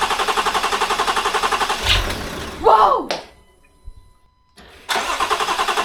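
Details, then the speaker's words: Land Rover Discovery 4 with freshly rebuilt 3.0L SDV6 diesel, first start after rebuild: clattering rough idle with harsh belt squeal, coolant sprayed on the drive belt making it slip; low on coolant, engine stopped. "the car sounds terrible that's completely normal that's coolant on the Belt okay we don't have enough coolant in the car so we have to stop it so the noise you hear is the coolant on the Belt"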